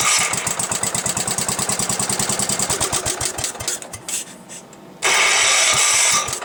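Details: Gravely Commercial 12 after repair (carb bowl cleaned, flywheel ignition module gives good spark, carb still needs adjusting, transmission oil low): even cranking pulses for about four seconds, then it fires and settles to a fairly smooth run; a normal start.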